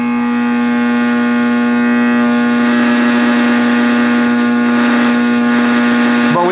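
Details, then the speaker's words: 1960s General Electric black-and-white TV, back off, after the tube was dealt with and the set was plugged back in: a loud, steady, high screech with static hiss from the speaker until it cuts out; more than the tube is faulty, cause unclear. "So, it was more than just the tube that was wrong with it. Well, that's coming out of the speaker."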